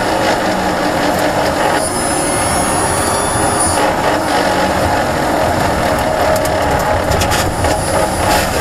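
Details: Renault ZOE R240 electric car coasting in N or D without driving or braking: dense, fast rattling chatter from reduction gear over road noise, heard for about a year; cause unconfirmed.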